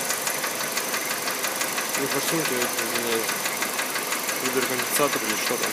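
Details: Kia Rio JB, G4EE 1.4 97 hp, automatic, Mobil 3000 oil: light tick about twice a second over idle, engine knock complaint; owner first thought injectors, then suspects hydraulic lifters, cause not pinned down.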